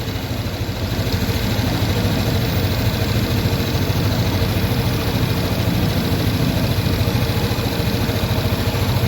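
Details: Old-model Yamaha NMAX scooter with error code 37: uneven, lumpy idle sagging low and thumping about three times a second; the idle speed control (ISC) connector, whose lock is broken, is not fully seated and tight.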